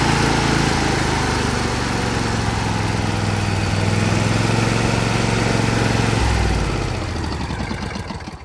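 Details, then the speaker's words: John Deere L118 with Briggs & Stratton Intek V22 twin after blow-by repair, reinstalled and running to seat the new rings: smooth, even drone with no knocks or misses; only the tiniest bit of blow-by remains. "And yeah, there was just a tiniest bit of blow-by, so that's fine. I want to wait to worry about blow-by until after the ring seat in."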